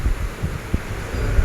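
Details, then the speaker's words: Deep, dull steady thumps under idle from a 2009 Toyota Aurion 2GR-FE V6 with abnormal engine noise; teardown found worn, spun bearings causing the knock. "हां हां तो दोस्तों यह आवाज engine के अंदर से आ रही है"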